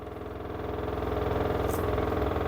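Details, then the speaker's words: LG washer model F4V5RGP2T, under one year old, with some load added: as spin RPM climbs, a fast, even pulsing jet-like roar builds, far too loud for a washer; abnormal loud spin noise. "This is the noise actually, it is very abnormal noise."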